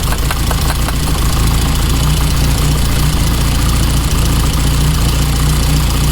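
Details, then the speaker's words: 1987 track car, first start, high-pressure fuel pump confirmed delivering fuel: low throbbing idle with uneven pulses and occasional stumble, now running on all 4 cylinders; roughness suspected from old fuel and slightly stuck injectors. "Apart from running like a little bit rough because of the old fuel, it's ready to go in the garage. I think it's just the injectors were a little bit stuck."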